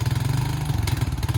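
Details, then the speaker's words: Crash-damaged Honda 350cc 4x4 Fourtrax quad bike, spares or repair, just started on fresh petrol and warming up: fast, even single-cylinder thumping at idle with a steady beat and no knocking or misses; engine idles cleanly. "actually sounds perfect hopefully that's not too loud down the camera"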